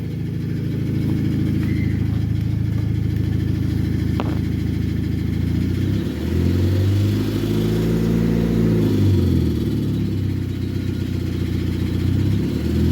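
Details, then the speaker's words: 2005 Nissan Sentra with a broken exhaust: a deep knock from underneath the engine that fades once revs pass about 2000–2500 rpm and returns below that; suspected rod knock, not confirmed. "at a certain RPM like 2,000 RPM or500 something like that the noise kind of goes away and then once you drop below that RPM uh the noise comes back again"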